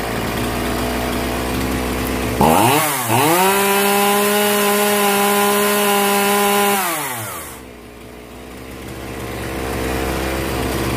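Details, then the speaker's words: Genoa 3800 chainsaw, long unused and not starting: after carb adjustment (T screw tightened), it fires and climbs quickly to a steady high buzz for about four seconds, then drops cleanly; carb roughly set before reassembly. "이렇게 하면 지금 대충은 맞았구요 이제 전체적으로 다 어 조립을 한 다음에 다시 한번 해보겠습니다"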